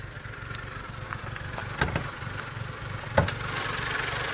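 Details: Mazda Protege5 at idle: quiet idle stumbling unevenly with occasional louder lurches and a rev blip; rough idle, cause unclear.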